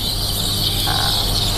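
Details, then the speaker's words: Milesto Eliane espresso machine steam wand: steady piercing squeal over low rumble because the tip sits too deep in the milk; lowering the jug so the tip floats near the surface gives a hissing sound instead. "suara begini berarti terlalu dalam turunin sedikit jaknya biar dia ngambang sampai ada suara desisan"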